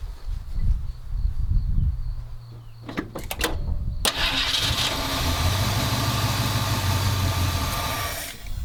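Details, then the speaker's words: 1977 Ford F250 351M V8, Duraspark II, carb mixture screws at 2 turns out: cranks briefly, catches, runs rough a few seconds at low idle, then dies. Stalling after start; owner suspects a clogged carb idle circuit, unconfirmed. "Did not want to run, Coach. This is weird. You know, this is weird. I wonder if the idle circuit's clogged again in that carb somehow."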